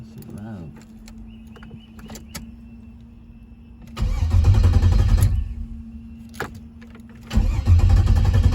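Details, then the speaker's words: Car cranks in two short bursts with an even quick chug and no firing; won't start despite fuel pressure at the rails and checked wiring; owner says it sounds dry and wonders about the new injector plugs; cause unconfirmed. "And it still won't turn over. I don't know what the fuck am I doing. Just something. I don't know. It sounds dry though, like when I started, it just sounds dry."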